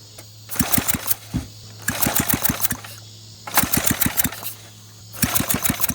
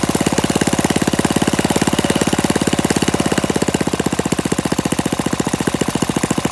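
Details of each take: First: Flathead Briggs engine on a minibike, recoil pull-starting with throttle and choke after fuel bowl primed: bursts of pull-cord rattle with a few sharp pops each try; fires briefly but won't keep running, intermittent firing. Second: Warm Briggs & Stratton flathead mini-bike engine with PZ19 carburetor, on a stand with no load and no muffler, after idle screw adjustment: loud open-exhaust popping at a steady fast beat, firing even and consistent; runs fine.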